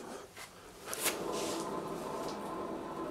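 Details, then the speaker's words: Renault Twingo 1 worn rear drum-brake wheel bearing, heard before replacement: after a brief knock, a steady gritty rushing whir that is quite noisy, so changing it is worthwhile. "on peut voir que ça c'est plutôt bruyant donc c'est pas un luxe comme de le changer"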